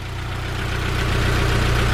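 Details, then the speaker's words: Honda S2000 at idle after refitting a banjo bolt: steady, even idle with smooth low drone, no rattle or tapping; the former hot-start rattle, like fingers run across spokes, is gone. "an absolute dream no rattle noises no knocking"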